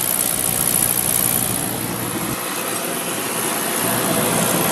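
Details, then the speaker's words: Beckett oil burner with Carlin Pro-Max safety control, two-pipe pump, during light-off; steady roaring flame with fine crackling buzz from igniter still sparking in the 45-second trial period, normal firing before transformer drops out. "all right now you can hear you can hear the uh spark still going there once this starts up it's got that 45 seconds to make"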